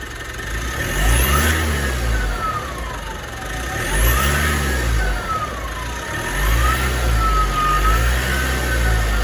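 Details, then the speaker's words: 2016 Mitsubishi MQ Triton Athlete diesel with a popped boost pipe, throttle blips: high whistle rising and falling with each blip over diesel note; whine from turbo, owner judges turbo cooked, needing replacement. "As you guys can hear, that's the turbo. The turbo is cooked. You can hear the wine coming from here."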